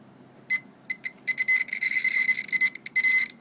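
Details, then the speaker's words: Multimeter continuity check between the vibromotor case and its negative blue wire while the rotor is turned by hand: irregular beeps at certain rotor positions, silence at others; intermittent internal short circuit to the case. "That means that in some of the position of rotor there is a short circuit in the vibromotor."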